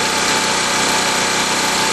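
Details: 196 cc 3250 W portable generator with load removed and fuel valve off so it cools while burning off fuel in the carburetor: steady, even buzzing at constant speed, no surging or misses; normal idle.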